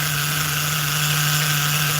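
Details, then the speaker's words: Force .25 CNC nitro RC engine on its second heat cycle of break-in: steady high-pitched buzzing idle, even and smooth, idle slightly high; running well. "It's running pretty smooth, too. If you, you know, if you listen to it, listen to it for a minute. Idle's a little high, but that's okay."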